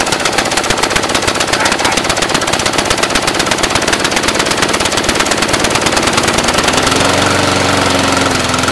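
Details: Brand-new Briggs & Stratton 450 lawn mower, under 2 hours' use: fast, crackly, uneven popping, speed unchanging. Black smoke, sooty plug, throttle has no effect; smoother when tipped back. Rough idle, cause unknown.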